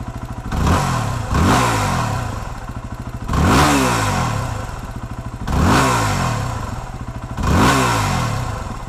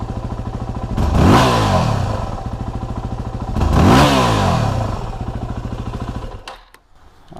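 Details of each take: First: 2008 Yamaha WR250R single-cylinder after replacing fuel pump and fuel pressure regulator for low fuel pressure bog: five throttle blips from idle, each rev climbing cleanly and dropping back; still slightly slow off idle. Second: 2008 Yamaha WR250R single, engine warmed up, idling then hard throttle snaps from idle: revs hang about half to one second before climbing, a bog from low fuel pressure, fixed by replacing fuel pump and pressure regulator.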